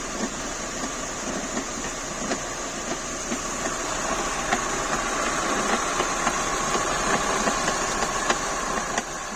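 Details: Renault K4M petrol engine idling: sharp, light knocks roughly every quarter second over an even hum; an abnormal engine knock at idle of unknown origin.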